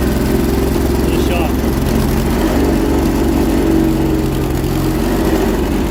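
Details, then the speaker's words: 1980s Honda FourTrax ATV, roughly 40 years old, run again the next day after cooling down: uneven, stumbling low putter with irregular beat at idle, sounds like it's running on only one cylinder; rough running, misfire. "shot kind to run it fny running on one cylinder sounds like it's running on one cylinder"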